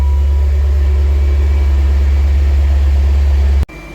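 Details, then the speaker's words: 2000 BMW E39 M5 after a cold start with timing chain rattle: deep, steady, even idle with no rattle or miss once past startup; normal idle. "After that, everything's decent, but the initial startup, a lot of rattling. But then it's super smooth, sounds good."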